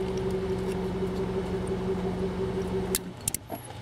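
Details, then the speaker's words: 1999 Honda Accord with intermittent no-start, stalling, long cranks, surging; engine idling, then cuts dead about three seconds in as the PGM-FI main relay is pressed, followed by sharp clicks; failing main relay drops fuel system power. "this main relay car is running right now I'm gonna move the relay you'll what you'll hear the car set off just gonna a little bit of pressure on the middle of it"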